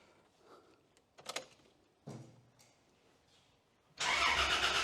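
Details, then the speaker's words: Engine on a newly wired ECU Master Classic ECU with a rough startup map. A few quiet knocks, then it catches and settles into a fast, smooth idle with no popping. Clean running, high idle. "All right. So, it sounds good. Sounds nice and clean. There's no popping and carrying on."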